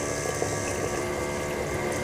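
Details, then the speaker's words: Bolde Smart Fountain 10 Expresso dispenser mini water pump, cold-kettle pumping on 220 V: steady loud hum and constant whine over gurgling water; pump abnormally loud, cause not yet found (unit also wouldn't dispense water). "Buset. Suaranya ngeri. Kok suaranya bisa sekencang itu ya?"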